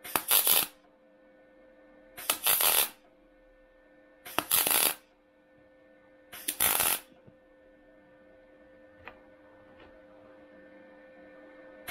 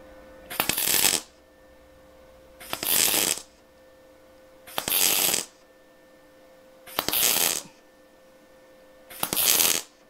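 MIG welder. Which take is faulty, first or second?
first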